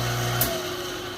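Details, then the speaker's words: 5 hp three-phase motor, frame 573, after rebuild with new bearings (88507 blade end, 88504 fan end), 20 hp rotary phase converter running in background: steady hum then quick quiet coast-down, slight fan vibration noise; normal. "it runs so nice and quiet now stops real fast"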